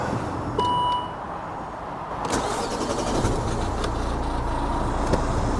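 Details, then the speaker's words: 2011 Volvo V70 1.6D D4162T diesel after throttle body cleaning and battery-disconnect reset: short crank catches at once into a steady, even idle, no misses or knocks; normal start and idle. "Allow it to idle for 15 minutes without touching the accelerator, and ensure all accessories are turned off. After the full 15 minutes, the idle should be stable."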